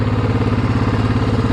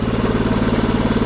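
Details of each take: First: 2007 Yamaha Grizzly ATV after fuel pump replacement and wiring fix, fixing a crank-but-no-start: even, quick single-cylinder putter at steady idle with no misses or knocking, running properly, though it smokes heavily under load and needs a top-end rebuild. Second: 2007 Yamaha Grizzly ATV after fuel pump replacement and wiring fix: uneven, lumpy single-cylinder idle with slightly loose top-end chatter; very smoky, especially when revved, and the owner says it is headed for a top-end rebuild but still runs.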